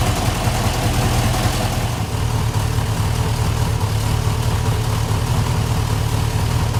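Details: 1968 Rover P5B Coupe at first start after its wiring harness was replaced: steady, even low V8 burble with no knocks or misses and a smooth rhythm. Oil pressure normal, alternator charging, rev counter working; a healthy idle.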